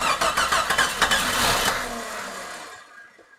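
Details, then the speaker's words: Jeep XJ 4.0 rebuilt engine, first start attempt: even cranking about three turns a second, engine never catches; owner heard possible knocking, suspects fuel not yet there or neutral safety switch. "Well, it sounded like I heard something knocking, but at least we got the starter going. So for some reason it's not activating though."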